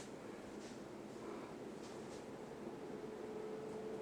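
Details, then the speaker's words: 52" Emerson Premium ceiling fan, K55 motor, four-inch downrod, running on high speed; steady even rush of air with only a faint thin whistle, no ticking, rubbing or wobble; normal operation on high speed. "let's bump it up to high shall we now it really cranks out a lot of air"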